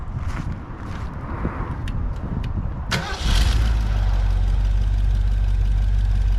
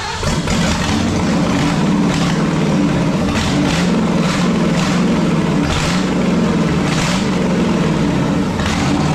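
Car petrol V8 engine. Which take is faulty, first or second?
second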